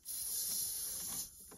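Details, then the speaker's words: Farm equipment air brake system, engine shut off after building air pressure: a sharp, steady high hiss of escaping air for about a second; a leak at a small fitting in a block of air lines near new fittings. "i hear my new fittings though oh boy it's coming from this mess of airlines down here"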